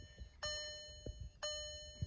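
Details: Cheap non-running VW TDI, testing the valet key: two clear bell-like chimes about a second apart in a quiet cabin, the cluster warning that the key isn't recognized by the immobilizer; owner suspects failed key programming.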